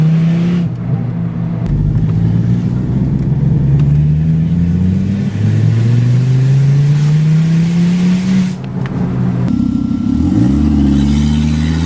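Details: Volvo S40 T5, 2.5 L inline-five turbo, after a month sitting: very loud raw engine roar rising through hard pulls, from a large exhaust leak at the flex pipe bolted to the turbo, sounding like a catless open turbo exhaust.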